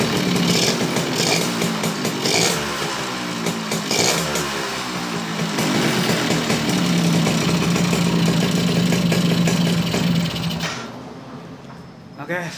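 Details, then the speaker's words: Suzuki Bravo (RC100) two-stroke after carburetor service and combustion-chamber cleaning starts easily and revs freely, but a rough uneven rattle follows engine speed: worn connecting rod needing replacement, not yet replaced; piston may be replaced too. "Namun di sini ada kekurangan ya teman-teman. Ada suara stang seher ya. Stang sehernya sudah bunyi, kemerotak ya."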